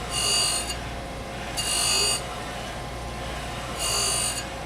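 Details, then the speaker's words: Okamoto 818 surface grinder, side-grinding a heat-treated cavity block on a 6x6 Hermann Schmidt magnetic squaring chuck, stepping over only ten thousandths: harsh high-pitched grinding in bursts about every two seconds while cutting through heat-treat scale. "it's running through the scale right now these cavities have a bark on the outside of them from the heat-treat process and that's the nasty bit but once it gets through that it's gonna sound a lot better"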